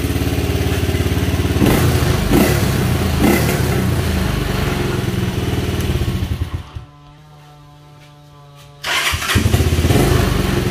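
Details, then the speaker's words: Motorcycle that bogged and stalled at 6,000–7,000 rpm, after replacing the ignition coil, engine very hot after a 10-minute ride: steady low thump, cuts out about two seconds then fires straight back and settles, no noise; normal start and idle. "listo parece que quedó no se apaga no tiene ningún ruido la moto está muy muy caliente"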